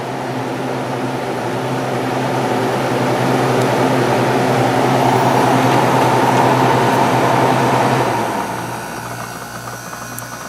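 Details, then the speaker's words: Very clean, nearly like-new window air conditioner on coldest setting, constant fan, run through low, medium and high; smooth steady low hum, even airflow, no rattles or knocks; starting to get cold, nice and quiet, running normally. "nice and [Music] quiet"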